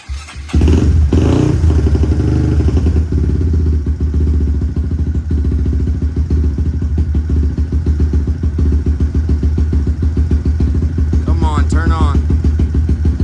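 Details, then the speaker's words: Big-bore Honda Grom single-cylinder after Dynojet Power Vision 3 flash, warming up with fast idle valve on: choppy, uneven low idle thump that sags and stumbles; data log shows it running lean when idling down. "so yeah it's going real lean when it idles down"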